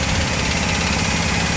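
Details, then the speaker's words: 1961 Cadillac limousine pulled from long storage, first start: its V8 catches and settles into a steady, even idle with a smooth low rumble and no knocks or misses; running normally. "Bro, it runs. This is amazing. It runs."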